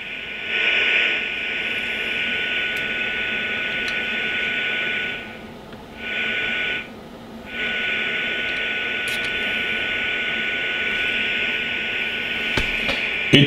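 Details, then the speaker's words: Rohde & Schwarz EK070 shortwave receiver fed a 40 MHz generator signal, 1 µV down to 0.1 µV, upper/lower sideband; steady hiss with faint thin test tone fading into the noise. Normal receiver sensitivity. "we will feed in a weak signal and listen to it whether we can hear it"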